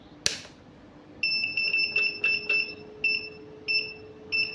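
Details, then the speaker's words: Godox SK-series (SK300/SK400II) studio flash, switched on and button pressed: short shrill two-tone beeps in uneven bursts about two per second with a blinking red light, the E3 error alarm; title suggests careless flash-tube replacement, fault unconfirmed. "E3 dan ini lampu merah ini ya, blinking, yang blink ya."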